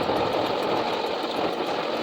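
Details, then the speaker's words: 2004 Nissan Titan V8 idling, heard close up near the alternator after a makeshift PVC-pipe stethoscope test: dense rough grinding rattle; owner fairly sure the alternator is bad and replaces it. "and I'm pretty sure it's the alternator so we are going to unplug the battery in order to remove the alternator"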